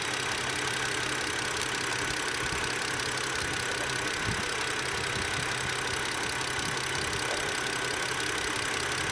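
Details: 2007 BMW 530i at idle with the AC off; check-engine codes showed both banks lean despite a new MAF, spark plugs, valve cover gasket and air filter and a cleaned throttle body: uneven, irregular thumping under a steady hiss; rough idle, cause not found.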